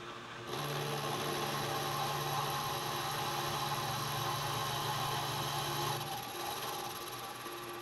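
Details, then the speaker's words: Milling machine face-milling while building NT30/ISO30 arbor for 50mm face mill: steady drone with rough scraping hiss and faint fast chatter; owner unsure whether dull cutter or quill/spindle bearings cause the noise, not confirmed. "don't think that cut is real sharp either and you can hear that bit of noise in the I don't know whether it's just quill need to in the bearings I don't know"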